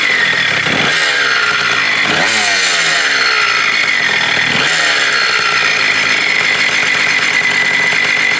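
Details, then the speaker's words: 1987 Kawasaki KDX80 two-stroke dirt bike on fresh premix, first start during restoration of a non-running bike: raspy note held on the throttle, revs blipping and sagging, won't settle into a clean idle on its own; owner says most don't idle right. "most of them don't idle right"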